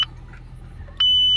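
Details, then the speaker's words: 2006 Audi A6 2.0 FSI turbo, oil level normal: after a throttle blip the low oil pressure warning triggers, a short high beep then a long steady tone over a quiet idle; pickup or oil pump blockage suspected. "загорається в нас, загорається давление. Так, пройшло примерно секунд 30."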